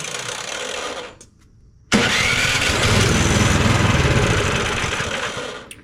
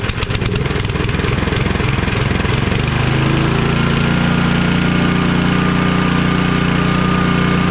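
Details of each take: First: Cub Cadet 2X 24 IP snowblower, MTD Powermore 243cc IntelliPower engine, that starts then dies: on choke, primed, brief pull, pause, then fires and runs roughly about four seconds before dying; fuel starvation from a dirty carburetor. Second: Cub Cadet 2X 24 IP snowblower with an MTD Powermore 243cc IntelliPower engine, after being drained and cleaned; it catches after a few rough turns, then settles into a steady, even run at constant speed. Normal running.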